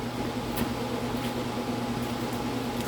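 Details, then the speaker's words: Blower motor on bench test, orange wire (maybe medium/medium-high speed): steady whoosh of air over low motor hum, lots of wind; no knocks or rubbing, runs healthy. "That's a lot of wind. It's actually not turning that fast. It's just a bunch of wind."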